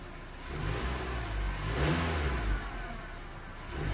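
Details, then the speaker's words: Car that smoked from the exhaust, after PCV valve and hose fix: smooth even rise and fall on gentle throttle blips, no knocks or rattles; engine sounds normal. "dari suara sih normal aja sih enggak ada keanehan sih ya semoga awet"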